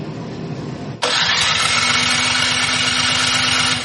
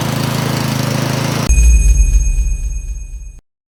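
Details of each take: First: Troy-Bilt snowblower engine, before carburetor cleaning: turns over about three seconds with even chug but never catches; suspected gummed-up carburetor, not confirmed. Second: Troy-Bilt snowblower single-cylinder engine after carburetor cleaning for no-start from old gas: puttering steadily at even beat, runs cleanly, then shuts down with a few thumps.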